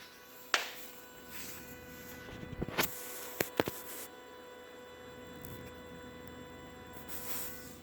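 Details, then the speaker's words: 2016 Tesla Model X parked, unplugged and fully off with the key fob far away: a constant electrical buzz with a few sharp clicks, seeming to come from between the front tires; cause unknown. "I don't know what that noise is, and the car is unplugged. Unplugged, everything's off, and the key fob is far away in the living room."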